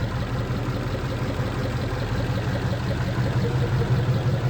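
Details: 1940 Mercury just restarted after its fuel pump was moved and the hose was spliced with steel line: a low steady even idle with no misfire or tapping, while the pump diaphragm sprays fuel. Normal smooth idle.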